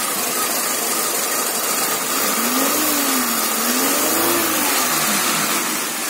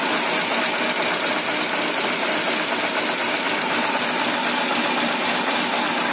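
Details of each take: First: Peugeot 206 1.1 petrol, 500,000 km, after replacing MAP sensor (plus earlier coil, plugs, injectors, stepper motor): idle noise gone, fuel smell gone, more torque; revs rise and fall smoothly without hesitation or misfire. Normal revving. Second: Peugeot 206 1.1 petrol, 500,000 km, cold stalling and power loss after coil replacement, owner suspected catalyst and smells fuel: ragged, stumbling cold idle over hiss; MAP (intake pressure) sensor blamed and to be replaced, though owner unsure.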